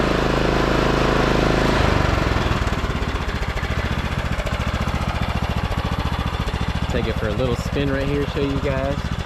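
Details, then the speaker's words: Craftsman T1200 riding mower with foot-pedal drive, saved from the scrapyard, started after battery service (dielectric grease on terminals) and an oil top-off; single-cylinder thump starts even and keeps a steady beat as it moves off, running super smooth, normal running. "topped off the oil but let's Crank It Up let you guys hear it runs super smooth now"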